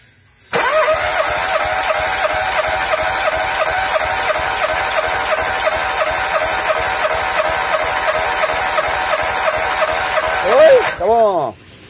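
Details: 2007 VW Polo with hard-start complaint, compression test on third cylinder, coil and injectors disconnected, throttle floored: starter turns engine at an even chugging beat for about ten seconds with no weak strokes; compression within spec.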